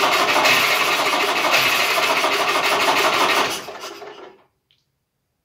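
Two-stroke fires up at once with a crisp, even buzzing rattle for about three seconds, then winds down and stops cleanly.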